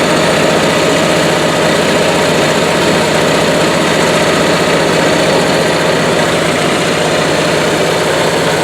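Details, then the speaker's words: 20+ year old Onan Marquis RV generator with only 60 hours, after full maintenance and carburetor rebuild, started with starting fluid: smooth, constant drone without stumbling or hunting; healthy and running well. "It sounds really good, and I feel like we got a lot of it's got a lot of life left in it."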